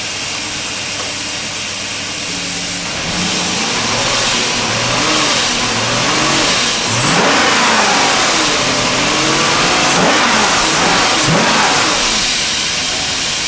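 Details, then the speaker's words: Neglected BMW E39 540i V8 after removing debris from a cylinder and coding the engine computer with no fault codes; smooth idle rising into clean, even revs, no misses or knocks. Runs great. "Yeah, man. It runs so great."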